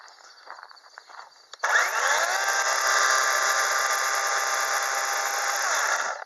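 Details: New Dewalt 20V cordless chainsaw, first run after unboxing with bar oil added: steady high motor whine with clean chain hum comes up quickly, holds even about four seconds, then stops; oils chain, feels strong; normal running.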